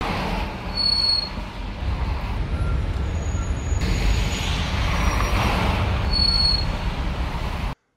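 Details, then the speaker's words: Car slowing at traffic lights, in traffic and on a 150 km trip: short high-pitched brake pad squeals over low traffic rumble; pad squeal persisted on the left side, where the disc edge was only greased, not chamfered. "кстати светофоры это отдельная симфония скрипов очень интересно послушайте"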